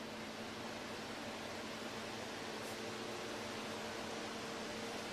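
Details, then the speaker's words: Air conditioner fan, first power-on test: smooth, even airflow rush with faint steady hum, no knocking or vibration; fan runs cleanly. "I plugged the fan and I want to make sure that when i turn it on there is no vibration so that's the first test"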